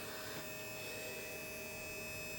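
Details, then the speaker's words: 2020 Keeway RKS 125 fuel-injected motorcycle that won't start though spark is present: steady even hum with thin high whine at key-on; fuel pump priming normally. "you can hear the fuel pump try to start it over it won't start so what we're going to do is figure out why"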